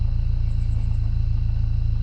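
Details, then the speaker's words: Dodge Neon about 45 seconds after starting: smooth even low rumble, steady beat, no ticking; now totally fine, normal idle. "but yeah now that it's now that it's run for you know 45 seconds it's it's totally fine"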